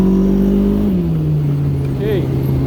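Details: Yamaha RX1 snowmobile engine running with an uneven, stumbling beat that drops in pitch as revs fall; a misfire. Possible causes are ignition coil arcing from rust or a gummed-up carb, cause not confirmed.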